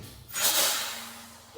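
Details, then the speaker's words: Detroit Diesel 6V92 truck with brake problems after air lines swapped, park brake off, pedal pumped; sharp burst of air hiss then fading, brake chambers releasing air normally. Normal air brake chamber actuation. "but let's see what they do see if something's correct I hear something moving sounds like they're doing something"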